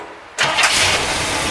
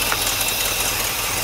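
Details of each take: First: 1964 Cadillac V8 after replacing worn points: cranks briefly, catches at once and settles into a steady even idle, no stumbling; running well, maybe an exhaust leak or two. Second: 1964 Cadillac V8, carbureted, first runs after 17 years, warm idle after thermostat opened: hissy, chuffing edge with a light tick in the beat; exhaust leak on one side near the manifold, leaky valve cover gasket also suspected.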